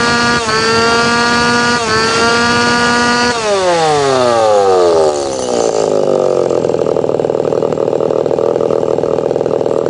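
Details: Tanaka PowerMate PMS340 pruning saw, small two-stroke, repaired after it would not rev up due to a failed fuel delivery system; final test, hot, after extra carb tuning: screams up cleanly, drops to idle and snaps back without stumbling.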